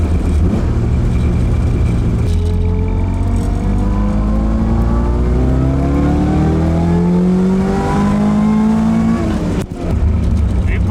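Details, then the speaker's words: AE86 after engine build, revved toward redline with tachometer visible: strong clean pull climbing steadily, no knocks, misfires or rattles; good power down around 3,000 rpm, feels healthy. "no it makes a good bit of arms down in three grand feels pretty healthy"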